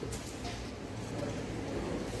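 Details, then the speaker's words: Opel Corsa D 1.4 petrol idling after water pump replacement: steady even low hum with no whine, grinding or rattle; the old pump had been badly noisy. "Evet yeni devir Dayım da hiç ses yok"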